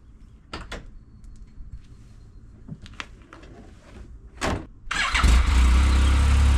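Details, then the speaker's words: 2019 Yamaha YXZ1000R SS side-by-side with 5-speed gearbox, clutch and paddle shifters, cold start before a brief warm-up: door and handling clunks, quick crank, engine fires into smooth steady idle; normal healthy start. "So what I'm gonna do, I'm gonna start it up and let it warm up for just a little bit, and then we'll just take it around the neighborhood so you can hear and see what's going on with the gearbox in this, because it's incredible."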